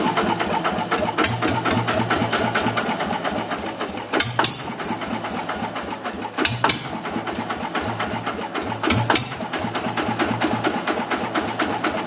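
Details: Honda TF115 motorcycle (upgraded to 150cc): steady, even idle with regular exhaust pulses and no valve ticking; engine idling healthily.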